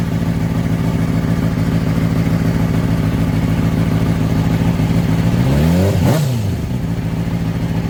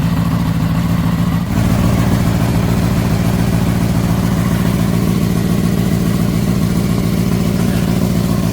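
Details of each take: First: Crashed, pond-submerged Honda CBR600RR, oil pressure sensor bypassed: smooth, even idle, then a clean quick rev that settles back, no ticking, no smoke; normal idle and rev. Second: Crashed, pond-submerged Honda CBR600RR first run after revival with rags removed from intake; steady four-cylinder idle, runs well, sharp puffing tick about three per second suggesting an exhaust leak.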